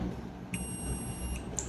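A single steady high-pitched beep lasts just under a second, then stops: the meter's normal continuity tone on a closed circuit.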